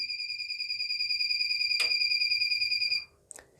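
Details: Inverter gives a continuous steady high-pitched fault beep when mains returns; DC output is fine but the beep comes with AC output, inverter fault, beep stops after main supply is switched off.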